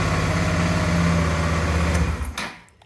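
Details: 2007 Suzuki DL650 V-Strom that would not crank due to a dirty clutch switch not making contact; with the switch wires shorted as a bypass, the starter whirs steadily and turns the engine over in an even chug about three beats a second: normal cranking.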